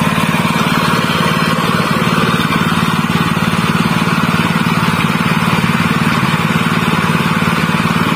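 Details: General CX160 5.5 hp single-cylinder stationary engine, fairly new, that had a black spark plug and kept dying; after fitting a new spark plug it runs an even, regular beat of about 220 firings a minute with no misses; it runs normally again.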